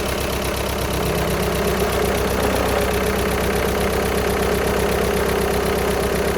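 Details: VW Sharan 7N 2.0 TDI common rail diesel (CFFB), cold start after new timing belt, injectors refitted and fuel lines drained without bleeding; fast uneven light rattle about 160/min over idle clatter; owner suspects bad tensioner pulley, not engine.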